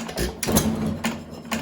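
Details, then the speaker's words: 1920 1.5 hp Alpha De Laval (John Lauson Frost King Jr) hit-and-miss engine with deliberately very loose main and crank bearings: crisp firing pops about every half second, clean clatter between, no bearing knock. Normal running. "I've got the bearings loose enough that you can't hear them being loose, but they are actually quite loose. This may actually very well be one of my best running engines, to be totally honest with you."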